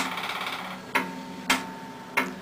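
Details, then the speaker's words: Nitrous system pulsed with fuel pump armed and no bottle connected, spraying only fuel into the motor: three sharp clicks about half a second apart over a faint hum, the solenoids opening normally. "And there you can hear the solenoids clicking over."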